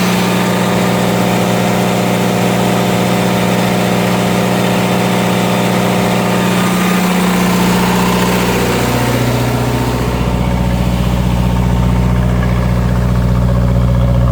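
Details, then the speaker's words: Onan DJC diesel generator, started stone cold after sitting a month or two, load bank swapped between several hundred watts and close to 11 kW: loud steady drone whose pitch dips with load changes then settles evenly, no smoke; healthy load response. "It's playing around with the load bank controls, jazzing it between several hundred watts, all the way up to like about close to 11 or so kilowatts."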